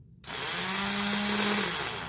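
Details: Yamaha Mio scooter starter motor with a heavy-starting complaint, reassembled with grease and the housing marks aligned, brushes, armature and magnets found good: spins up instantly to a steady, clean whine with even pitch, no grinding or drag; turns freely.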